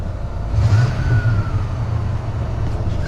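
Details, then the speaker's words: White van idling outdoors in cold weather, about 27–28°F: steady low engine drone with a faint thin whistle that slides and fades; owner suspects an idler pulley or the idle air control valve, both previously faulty and similar-sounding. "Either one of our idler pulleys or the, what's it called? Idle air control. Both of those are screwy on this at one point, and they both make a very similar sound."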